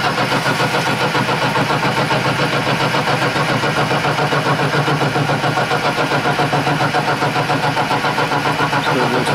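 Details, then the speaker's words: Horizontal milling cut, roughly ten-thousandths deep, squaring work held on a 1-2-3 block for a lathe carriage stop. Steady, even cutting rhythm with no squeal or ringing and no discernible chatter; normal clean cut. "A couple passes and I'm taking a 10,000ths cut right now. Sounds like it's got a good cutting noise to it. No discernible chatter."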